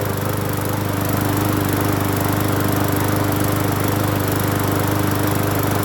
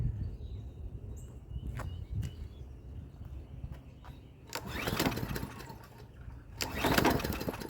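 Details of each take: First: Hyper Tough 20-inch push mower, free, after cleaning the carburetor and gas tank, reconnecting the spark plug and adding fuel treatment: starts and holds a smooth, steady single-cylinder drone with no stumbles or surging, not shaking; normal running. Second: Free Hyper Tough 20-inch push mower, sputtering bursts that surge and sag, never settling, runs rough and nearly stalls; gummed-up carburetor suspected, not heard priming.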